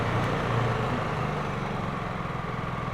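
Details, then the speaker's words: Honda EU3000is inverter generator, freshly fueled and started, eco throttle on with no load: smooth, steady low hum with fine even pulse at reduced engine speed; normal eco idle that should rise under load. "That's eco throttle on, and it reduces the speed of the engine there whenever you're not using it under a full load there."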